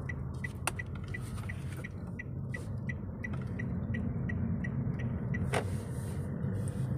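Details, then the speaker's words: Daihatsu Sigra at its 20,000 km service, in 4th gear over an uneven road where the front previously knocked: only low road rumble and a few light ticks, no knocking or rattling; front-end noise fixed after service. "ini ada jalan yang gak rata nih ya posisinya seperti ini tapi ini bener-bener nggak bunyi udah udah rapi ya jadi nggak ada nggak ada suara waduh mantap banget nih"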